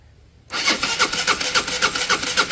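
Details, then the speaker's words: Peugeot Satelis scooter, sat about two years, cranking but not starting: even starter pulses about four a second and it never catches. The spark plug is lying loose, not fitted, and a red lock/immobilizer light stays on. "I was looking down in here and I can see that the spark plug is lying loose it's not in the bike"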